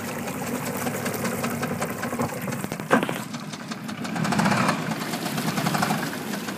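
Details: Yamaha F225 outboard idling back to the dock: uneven idle with a sharp, regular ticking knock over the engine and water noise; knocking at idle, suspected rod knock, not confirmed.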